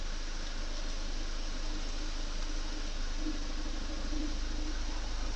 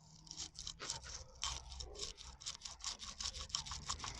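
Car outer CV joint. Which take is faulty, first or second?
second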